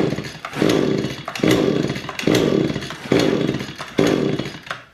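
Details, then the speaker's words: Echo string trimmer left unused over winter, choke on cold start, primer filled: five recoil pulls, brief rising whirr, no firing; no spark, failed ignition coil, later replaced. "so it's not gonna start shouldn't have to pull it more a couple few times it should fire up"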